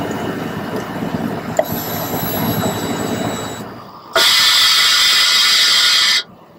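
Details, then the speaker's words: Harley Sportster fuel pump priming with key on after fuel pump and fuel filter replacement and tank refit: a steady high whirring buzz for about two seconds, then cuts off; the pump primes normally. "it's time to turn that key and cross our fingers that we hear that sweet little hum sound and fire this bike up"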